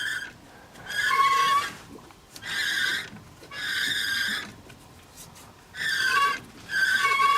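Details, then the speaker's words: Chevrolet Avalanche demolition derby car after a derby, with the driveshaft turned by hand at the transmission: squealing groans come about every second as something rubs inside the transmission; internal transmission damage is suspected, not confirmed. "that does not sound good in there oh that does not sound good inside that transmission"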